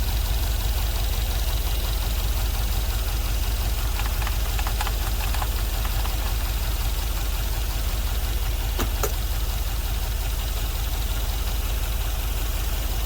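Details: LS-swapped GMC Vandura, first start after ECU flash: loud V8 idle, uneven lumpy beat with a stumble every few turns, running on five cylinders; owner suspects a couple of injectors not firing; misfire at idle.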